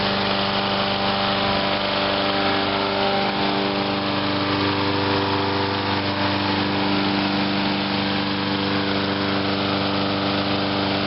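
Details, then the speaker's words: 2003 Huskee by MTD 22" self-propelled mower, over half a tank of gas, run deliberately dry to winterize: single-cylinder drone at steady speed with a slight waver as it starts to hesitate; early fuel starvation. "Run them completely dry. And I didn't even put any gas in the mower even when I started cutting. There was about over a half a tank of gas. Sounds like it's starting to kind of hesitate a little bit."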